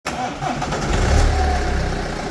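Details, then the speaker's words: BMW F30 3-series N47 diesel cold start: loose metallic clatter over the rumble, timing chain rattle from a tired chain tensioner; fixed with updated tensioner. "does your BMW n47 engine have a rattle on Startup especially when it has been sitting overnight it is true that these engines can have timing chain issues and the chain can also stretch"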